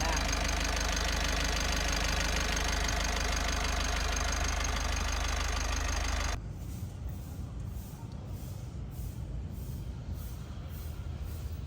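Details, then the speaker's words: Second-hand Mitsubishi L300 FB dual-aircon van, Euro 4 diesel engine with new battery, started with the engine bay shown: steady, even diesel clatter at idle with no knock or misfire, sounding like new; normal idle. "Oh, binuksan ko yung engine. Ayan po, maririnig niyo yung tunog. Di ba? Parang bago"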